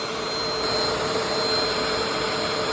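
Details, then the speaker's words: Bissell PowerLifter Swivel Pet upright vacuum, curb find left outside for a long time, first run after shortening the frayed cord: steady high motor whine over a constant airy rush, no stutter or grinding; normal running. "I can't believe this thing turned on."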